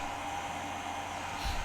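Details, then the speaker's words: MeanWell LRS-600 power supply at 100% load (100 amps) in a 30-minute test, fan just kicked on: a loud, steady fan rush with a faint high whine; the cooling fan runs hard but normally. "it's uh not quiet as you can probably hear"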